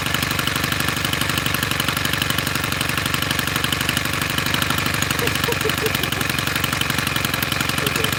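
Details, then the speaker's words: Tiller small single-cylinder engine, previously not running, started after carburetor screw adjustments: even fast idle thump on choke with no stumbles; normal running on choke. "Okay. Not bad. I'm excited. Hey, look, that thing started up, but I totally forgot what to do next."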